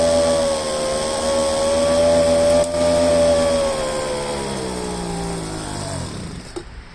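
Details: Poulan handheld two-stroke leaf blower after fuel line replacement and choke-cycling to clear carburetor dirt: steady high buzz eases then winds down to a stop, running cleanly without stumbling.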